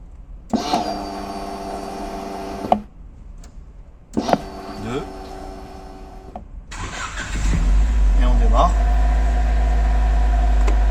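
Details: Car with newly installed in-tank fuel pump, tested for pressure and leaks before E85 flex-fuel conversion: two short cranking bursts, then catches and settles into a smooth, steady idle; healthy start.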